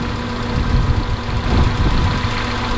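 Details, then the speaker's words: Honda Civic Del Sol, after a long-dead battery: steady even low hum with no knocks or misses, the idle settled down to normal speed. The engine sounds healthy. "Well, guys, she really is sounding good. The idle's gone down to about where it needs to be."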